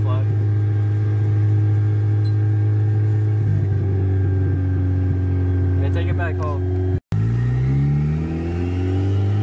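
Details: Turbocharged Honda Civic idling super high at about 3,000 rpm in neutral: steady high drone that sags and climbs again; owners assume a big leak somewhere and plan to re-tighten all the clamps.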